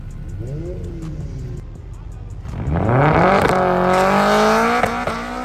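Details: Turbo FD2 Civic Si with an FX500 clutch, cooked by a third-gear burnout. Revs climb hard and fast through the shifts with little pull, with slipping heard right on the shift into second. Clutch slipping under load; twin-disc upgrade planned.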